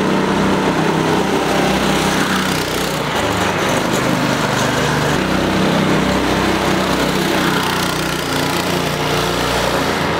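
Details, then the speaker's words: Go-kart with torque converter after fitting new belts and a bronze bushing on the drive pulley: busy, even small single-cylinder buzz at steady revs, no slipping whine, rattle or surging; original problem fixed, only a loose chain left. "so aside from the loose chain we fixed the original problem it sounds good oh good sounds good runs good"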